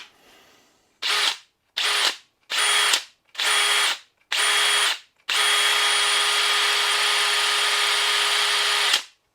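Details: DeWalt 18V 5Ah battery pack, water-damaged in a workshop fire, rebuilt with new cells and tested in a drill: five short trigger bursts, then an eight-second run with a steady, strong motor whine that never sags; normal operation.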